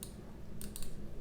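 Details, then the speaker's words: Black Glorious Model O gaming mouse squeezed at the rear sidewall near the logo face: sharp light clicks in small bursts as the shell flexes, tripping the rear side button; sidewall-flex misfire. "And that's where it actuates right there. You can really feel it flex. I mean, it's clear as day that it flexes right back there."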